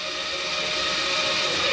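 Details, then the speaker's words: Flagstaff 27BHWS travel trailer stabilizing jack extending on an already-levelled unit, run down only until taut: steady high electric motor whine with even pitch, then a small thud at the end. Working normally. "now remember these are stabilizing jacks we've already got our unit level so we're only going to run these down until"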